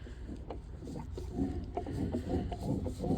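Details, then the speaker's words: 1989 Honda Pilot FL400R two-stroke engine, removed from the vehicle after a top-end rebuild still ran rough: crank turned slowly by hand gives faint uneven clicking and rough rolling, with crank play felt; owner suspects a worn crank bearing. "don't know if the camera's picking it up, but that's kind of that noise I'm hearing. It just sounds like a real rough bearing rolling around."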